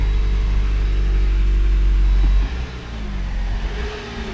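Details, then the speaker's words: 2019 Jeep Wrangler Unlimited Rubicon, 54,000 miles, started at auction: heavy, lumpy, wet gurgling idle that sounds unhealthy for the mileage. Noisy motor; cause not determined. "doesn't sound healthy at [Music] all she's a little gurgly for 50,000 miles this thing sounds like a turd box"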